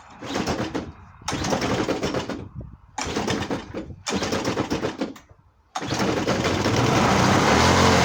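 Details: Homemade reel mower rebuilt with a different motor and an added oil reservoir, at first fire-up: rough, rapid popping in short bursts that catches and settles into a steady run: normal running.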